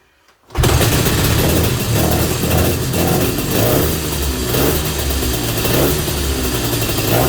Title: 250 Inter - First start after rebuild and 8 months of work.